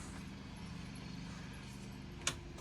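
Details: Factory rear air conditioner fan on a converted bus: steady droning hum with a rough, buzzy low tone; unclear whether from the motor or idler side.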